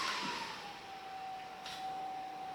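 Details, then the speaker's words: Titan TTC-SC60(B) caravan roof ventilation fan back down on 3rd of 6 settings: steady even whoosh with constant mid-pitched hum, no rattle or knock; running smoothly. "So that's on the 3rd setting."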